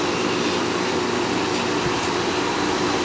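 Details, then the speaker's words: Fedders Air Temp 5100 BTU window air conditioner with Rotorex compressor, running after the fan shaft was wrapped in tape as a spacer and a cut-down slinger wheel fitted; steady even air rush and smooth hum, no knock or rattle, vibration much reduced, hot air now blowing out the back. "can see the vibration is a lot less"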